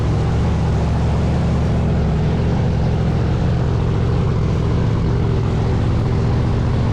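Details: Blower V8 Pro Mod drag car running after the burst panels were replaced and the blower refitted: loud, deep, steady roar with no misses, knocks or rattles; runs cleanly, normal running.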